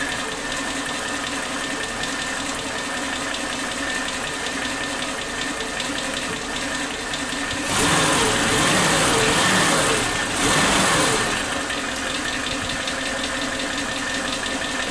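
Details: Suzuki Katana engine idling on its old spark plug wires with point (platina) ignition, CDI positive coil wire disconnected: RPM still unstable, uneven stumbling beat with a brief hiss midway; misfire from faulty spark plug wires.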